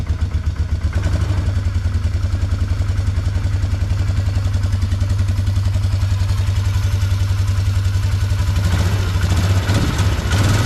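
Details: 2004 Polaris Trail Boss 330 ATV, first start after draining water from the fuel system and carburetor float bowl, on a mediocre battery with charger: steady single-cylinder thump at fast idle, no misses or knocks; runs clean, getting snappier.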